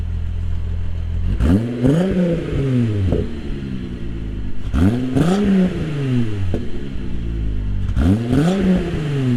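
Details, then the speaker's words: MK3 Jetta GLX 12v VR6 after tune-up, misfire gone: steady low idle with three quick clean revs, no stumble; running far smoother than before. "Guys, the car's running 100 times better. It's not misfiring anymore. It's super, super smooth. The car sounds super good."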